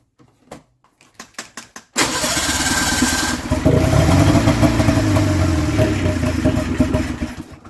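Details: Polaris snowmobile with a new fuel pump and spark confirmed continuous to both cylinders. A few sharp pulls, then a rough, uneven two-stroke burble that sags and fades out without starting. The owner suspects a fuel supply problem.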